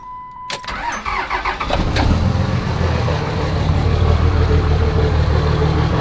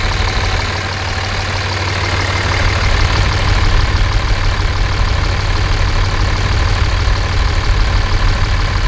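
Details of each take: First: 5.9 24-valve Cummins diesel truck with no muffler, cold start: cranks and catches, then a loud, uneven idle with a lumpy beat near four per second; rough cold running, cause not identified. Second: 5.9 24-valve Cummins diesel, warm, check engine light on from an unplugged CP3 fuel control actuator: deep, steady rumble through open exhaust, even firing, no valve tick; manifold temperatures within about 10 degrees, engine healthy.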